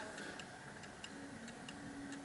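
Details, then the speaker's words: Antique Davison Bros London clock partway through setting the beat by nudging the L-shaped crutch: tick and tock come in uneven pairs and it still sounds off-centre, out of beat. "so it still sounds a little bit off center now let me do it a bit better"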